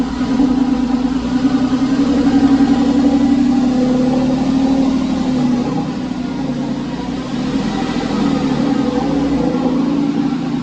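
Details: Porsche 911 996 C4S M96 flat-six idling months after earlier ticking, no repairs made; smooth even idle, steady low note, no top-end tapping. Owner attributes earlier tick to a sticky lifter. Normal idle.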